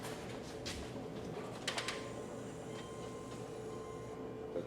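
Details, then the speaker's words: 2006 Subaru Outback 3.0 H6: a few faint quick clicks in a row, then no cranking; lights and windows work. Battery first suspected, but clicks persist on a jump pack, so the starter is at fault. "it seems like it's just the battery because it makes this really faint click click click"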